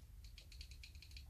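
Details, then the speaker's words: Axial Ryft RC kit front axle differential being built, axle turned by hand: quick light ticks about eight per second from the two gears' mesh play, slight play as expected, tightening as it beds in; normal gear backlash. "that's those two gears that's this gear and well this won't be the same but it's the the gears swap in between the gears called gear mesh"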